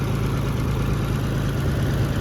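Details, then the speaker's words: Oliver 70 tractor after valve adjustment: low steady even idle with no knocks or ticks, much quieter than the night before; normal idle, still needs a new water pump. "well I'm not sure if you can hear or not but she is a lot A lot quieter than it was last night"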